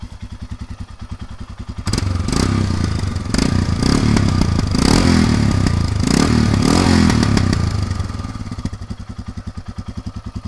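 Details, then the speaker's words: Royal Enfield Himalayan single after many miles on a trip to the 2021 Sturgis rally: big single thumps evenly at idle, swells when blipped, settles back to a steady regular beat; runs really perfect. "Let's fire these up. so you guys can hear what the engine sounds like after so many miles. Turn that on. Runs really perfect."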